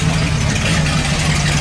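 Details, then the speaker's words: 1978 Dodge D100 revived after sitting almost 20 years, idling in neutral with the broken exhaust removed: loud raw open-pipe roar with deep rumble underneath. "there it goes it's a lot louder because we took a it's a very broken exhaust off"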